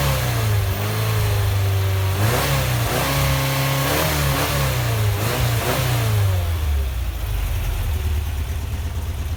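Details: Rebuilt air-cooled VW Vanagon Type 4 engine with solid thicker cam and Porsche swivel-foot adjusters, now warmed up: revs climb and drop cleanly through several blips, even crisp firing, no knocks or ticks; normal revving.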